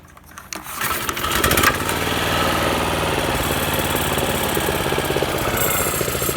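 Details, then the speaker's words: 2010 Toro 21" Commercial mower, model 22198, Super Recycler bought second hand and not yet given an oil change. The pull-start catches within a second and settles into a steady, even single-cylinder putter with no misses or knocks; a quiet, healthy mower. "It's really quiet. I do wear hearing protection when I mow, but I mean, if you didn't, this lawnmower probably wouldn't hurt your ears too much."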